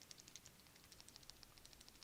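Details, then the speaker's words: BMW 335i belt tensioner assembly (two bearings) turned by hand off the engine: faint, uneven dry ticks and clicking, pointing to a worn, loose bearing inside; being replaced with the belt and idler pulleys. "now finally we have the tensioner assembly these obviously have two bearings in them and i feel a little bit of wear a little bit of clicking"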